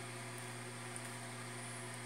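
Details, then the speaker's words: Newly bought automatic egg incubator on its first test, temperature rising from about 23 °C; faint steady hum with soft airy hiss and no rattle or rubbing, a very quiet fan running smoothly. "então quer dizer ela está fazendo barulho superleve"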